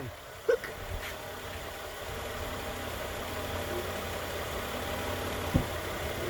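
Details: 2013 Nissan Pathfinder 4WD at 265k miles, idling after AC compressor clutch and serpentine belt replacement: quiet steady low idle hum, a couple of sharp handling clicks nearby, no squeal or knock; normal idle.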